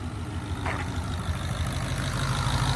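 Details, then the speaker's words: S550 Mustang GT with its newly replaced V8 engine at idle: a deep, steady burble with an even, lopey exhaust pulse and no tapping or knocking; it sounds the way it is supposed to, healthy. "it supposed to sound like this"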